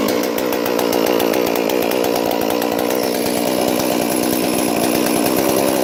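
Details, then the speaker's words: Stihl 461 chainsaw that had a log roll over it: high, steady two-stroke scream holding firm while cutting wood, no stumbling or rattles; still runs strong. "well listen to that folks $1,100 solve from steel did it got dropped a tree dropped on it yesterday or rode on it it cranks and runs steel"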